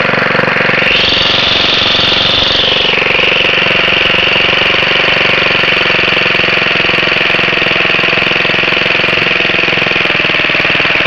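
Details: Very old Briggs & Stratton 2 hp four-cycle gasoline lawn mower with a new spark plug, just pulled from the shed after a long while: settles from a brief higher pitch into a steady, even buzzing run with no misses or knocking. Healthy.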